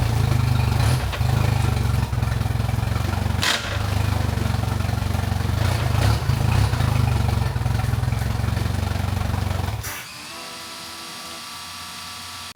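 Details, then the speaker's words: Mercury Pro XS 115hp 2.1L outboard on a Mako 18LTS, first start after a 100-hour service with new fluids, impeller, fuel filter, plugs and thermostat. Steady low burble at even idle for about ten seconds, no misses or knocks, then a clean shutoff before the oil check. "I like to turn the key on and off a few times just to make sure the fuel filter gets properly primed and then we'll go ahead and start that engine for just 5 or 10 seconds"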